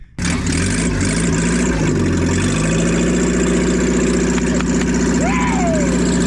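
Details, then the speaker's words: 1987 Toyota Hiace first start after head gasket replacement, exhaust removed: loud deep unmuffled idle rumble with raw uneven burble like a boat; open exhaust, engine otherwise running well. "Oh, he sounds like a boat. Yeah, we need to put that exhaust back on."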